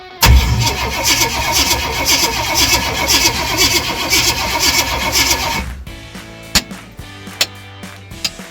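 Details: 1978 Jeep J20, AMC 401, first start in 20 years, fed from a fuel line into the tank: starter churns steadily about five seconds, roughly two turns a second, no firing; two crossed spark plug wires suspected.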